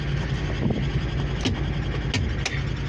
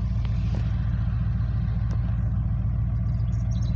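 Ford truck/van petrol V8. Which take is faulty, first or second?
first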